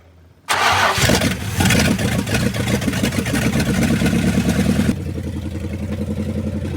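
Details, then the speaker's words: 1969 Dodge W300 Power Wagon with 440 big block, first start after long storage: quick crank, then the V8 settles into a steady, even idle with no tapping, knocking or chirping; healthy, though a new carburetor is planned. "It's not tapping. It's not knocking. It's not chirping. It sounded good. It sounded healthy."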